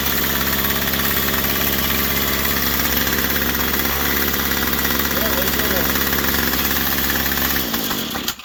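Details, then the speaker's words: Straight-shaft string trimmer with plastic rear housing, choke on: high buzzy two-stroke drone holding steady before cutting off near the end; healthy running on choke, run to check exhaust outlet. "Let's fire it up, see where the exhaust comes out. Remember I told you this thing runs so good."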